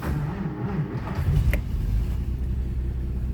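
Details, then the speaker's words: 1946 Plymouth Special De Luxe, warm from indoor storage, started by starter button without choke after electric fuel pump primes: brief starter click, engine catches at once into a low even rumble; healthy start. "See how easily that car starts."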